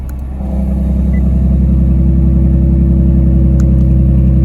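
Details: Nissan 370Z drift car after custom tucked exhaust with custom Y-pipe and QTP electronic exhaust cutouts, cutouts closed on first test: deep exhaust swelling with revs into a steady drone, no ticking or puffing; super quiet, earlier exhaust leak gone.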